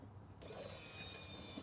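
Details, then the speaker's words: Ford Fiesta XR2i barn find off the road 14 years, electric fuel pump with new filter bench-tested on a jump pack, submerged in fresh petrol, out of the car: thin steady high whir, unbroken; fuel pump working properly. "and you can see there that's working perfectly so I'm quite happy with that"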